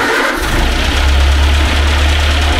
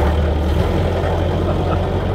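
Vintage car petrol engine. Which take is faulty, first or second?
first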